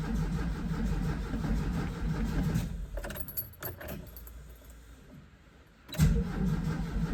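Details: VW Vanagon broken down, with a bad fuel pump suspected. After installing the new fuel pump, whose wires had no polarity markings, the starter cranks evenly, pauses, cranks again, and never catches. Crank, no start; it ran after the wires were switched.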